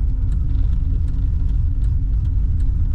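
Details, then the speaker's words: Cammed LS1 SS Commodore after the new tune, idle about 850 rpm on the gauge: deep, lumpy idle at about three pulses a second, holding steady without dipping or stalling. Normal idle. "That's idling perfect. The idle looks like it's up to about 850-ish, according to the gauge. That's fantastic."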